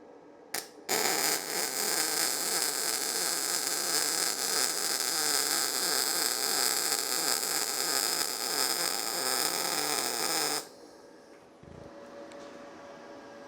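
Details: YesWelder FIRSTESS MP200 multiprocess welder in MIG mode on 220 V, 10-gauge steel, 75/25 argon, voltage knob at middle: even crisp frying hiss held steady about ten seconds, no popping; good arc.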